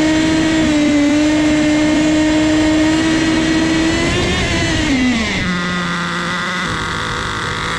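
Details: Nitro turbo RC car near full throttle: high scream falters, sags in pitch, then drops away as it bogs and dies; owner suspects too rich a fuel mix, a sizzling hot engine, and possibly a burnt-out transmission not shifting.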